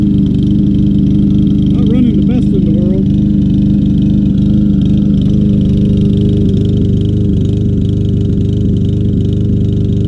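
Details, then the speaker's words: Troy-Bilt TB200 mower, 625EX 150cc Briggs & Stratton engine, long stored, after rubber-hammer tapping: uneven loping, hunting beat over a steady drone; rough running, old gas and stuck float suspected. "kept banging on it with that rubber persuasion hammer not running great but need to drink get rid of that old gas"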